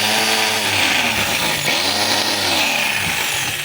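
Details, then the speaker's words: DeWalt DWE8200S 4-inch grinder that runs but is noisy and smells of burning: high, harsh whirring with a rough scraping rasp. Its carbon brushes are loose and wrong-sized, but that is judged not the cause; the real cause is still unconfirmed. "So, ito mga kabay, gumagana, pero maingay siya, tsaka nangangamoy sunog."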